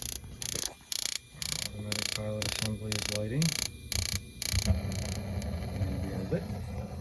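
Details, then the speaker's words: Burnham gas boiler struck by lightning, first start after replacing the control board and transformer: about two crisp ratcheting clicks a second as the automatic vent damper opens, then soft steady pilot burn. Normal damper opening and pilot ignition. "I just wanted to jump DT together and our automatic vent damper is opening"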